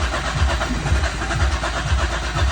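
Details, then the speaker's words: 2009 Smart Fortwo 451 cabriolet with hard cold starting; steady, even starter cranking with rhythmic low thumps and no catch; fuel pump draws 2.7 A (vs about 6.6 A on a good car) and makes 30 psi (vs about 50); weak pump needs replacing. "drawing 2.7, and it's 30 PSIs. So that's telling me that fuel pump is a piece of you know what."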